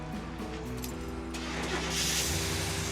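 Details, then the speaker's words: 1974 Corvette Stingray engine just after camshaft replacement, idle set to about 2,000 rpm for a 30-minute cam break-in. It catches quickly into a steady, even fast idle with no knocks or misses, a normal healthy start. "hey that's it so it's running I got the idle set to about 2,000 RPM so I have to let it sit there for 30 minutes to break in the cam"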